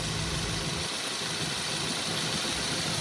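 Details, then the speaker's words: 2015 Subaru Forester A/C after fixing the faulty relay, clutch adjusted and Freon being added, engine idling with A/C on: smooth compressor hiss and hum, no knocking or squeal; vent air very cold, around 38–43°F; normal A/C compressor operation. "See, it feels actually really cold, guys. I think it's working really good."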